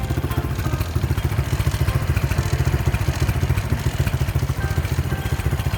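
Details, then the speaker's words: Honda Wave 125 S motorcycle with many loose parts, starting by kick start only. The single thumps at a quick idle with a loose, uneven clatter on every beat, from the unbracketed muffler and other loose parts rattling. "as you can see the glitch doesn't work and you can hear some rattling noises"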